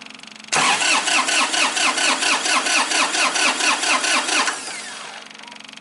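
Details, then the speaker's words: 2005 Massey Ferguson tractor, Japanese-made 3-cylinder diesel, crank no-start after sitting: steady starter cranking about two beats a second, never catches, even with the fuel shutoff coil unplugged and glow plugs used. "we'll crank it again nope we're still uh still a crank no start"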